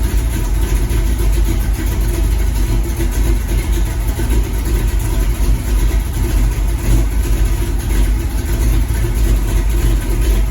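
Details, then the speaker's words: Cammed 350 small-block V8 El Camino after timing adjustment: deep, heavy, steady lumpy-cam idle with no knocks or misses; normal idle. "like I said she sounds really good y'all ever since I did that timing stuff this sounds really really good"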